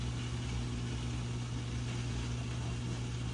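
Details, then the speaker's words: GE dishwasher being diagnosed for stuck-in-drain, constant-drain or FTD error, at the start of a wash cycle: steady, even low hum with constant pitch and no rattle or grinding. The drain pump is running normally. "So it sounds like your drain pump is working, by the way. You can hear it. That's all drain pump."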